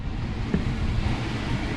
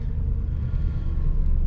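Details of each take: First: 2500 Suburban V8 idling low with the whole truck shaking: lumpy rumble with uneven stumbles. Owner suspects the alternator. Flashing check engine light follows, with codes P0174, P0300 and P0622: rough idle with misfire. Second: 2500 Suburban V8 cold start on a cold day, after the owner hopes alternator replacement fixed the misfire; idling just over 1,000 rpm with a steady, even rumble and no stumbles or shaking: normal cold idle.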